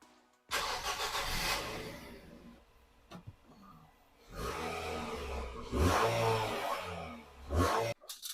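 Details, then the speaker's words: 14-year-old Nissan Qashqai with the accessory belt removed, battery light on because it is not charging: it cranks, catches and revs with no squeal, so the timing chain is ruled out and the noise is in the belt-driven auxiliaries. "we know something on that belt that's good that means there's nothing inside timing chain wise or I don't think it would be it wasn't that sort of noise"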